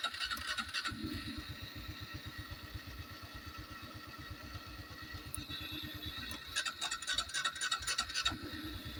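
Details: Honda Wave 110i starter motor spins nonstop as soon as the battery terminal is touched, key off and no dash lights, so the key switch is ruled out. A fast, even whirring grind at about three to four pulses a second.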